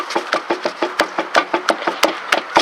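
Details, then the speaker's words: Car with the left rear wheel raised and the front wheels blocked: sharp knocking clunks, several a second, as the tire is shaken by hand; a bad wheel bearing with play, found after kicking the tire sounded like knocking on wood. "And as I shake this tire, I have found my noise. And I don't know if you can see that, but I have a bad wheel bearing."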